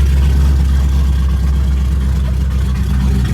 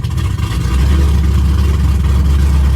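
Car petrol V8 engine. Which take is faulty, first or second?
second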